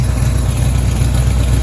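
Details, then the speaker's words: 1983 Chevy Silverado V8 after a deer strike, engine hot: steady deep idle with a faint buzzing rattle. The downpipe is touching the transmission, which happens only when hot; an exhaust leak was also noted. "oh yep right in the center of the screen the downpipe is touching the transmission and it only does it when it gets hot"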